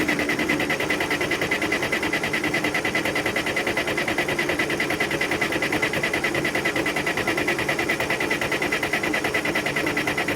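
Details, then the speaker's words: Case 580CK backhoe diesel after a long winter sitting, fuel just added, in neutral: even starter churn at about two and a half beats a second that never fires; cranks but won't start, owner thinks it needs more fuel. "Oh boy. Give it a little bit more fuel. All right, let's try this again."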